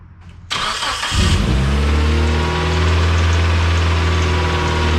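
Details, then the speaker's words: Car engine finally running after a long no-start struggle: brief crank, catches and settles into a smooth, steady idle with an even low hum and no misses; healthy start and idle. "okay as you can see it is running finally"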